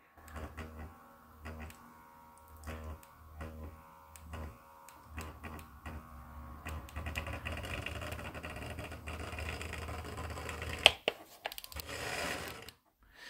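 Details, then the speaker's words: Märklin 33121 model locomotive built in the late 1990s with original AC motor and decoder, before motor and Lokpilot 5 basic upgrade: low buzzing in short bursts with clicks as it crawls and jerks at low throttle. "but as I turn up the throttle you can hear it buzzing and you don't see it moving, listen very carefully you hear that? and now it starts to move very slowly in a sort of shocking way"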